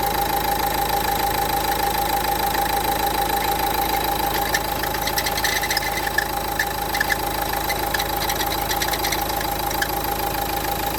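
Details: Renault Duster 1.5 dCi diesel at idle, before alternator pulley replacement: steady mid-pitched whirring tone over the clatter throughout; worn alternator pulley.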